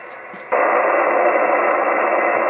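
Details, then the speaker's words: Radio receiver with A&H 12 V 4 A switch-mode pulse repair charger on sealed lead-acid battery unplugged; plain even hiss with no pulsing or buzz, only normal background noise once the interference source is off. "and now I'll unplug it again and all you're getting now with it unplugged as a little background [Applause] noise"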